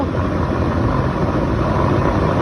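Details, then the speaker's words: Tesla Model S (2017 part) cabin blower at speed 11 after the blower motor was repaired and lubricated. It had not been blowing. Now a steady, even rush of air with no rattle, squeal or catch. "А теперь работоспособность идеальная. Всё, вырубай, пока руки не отрубило."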